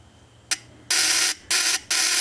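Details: Model T Ford buzz coil, capacitor and primaries/secondaries checked good, powered by 6 V battery: sharp, hissy buzzing bursts under half a second, starting and stopping cleanly; points buzzing properly and sparking at plug, normal.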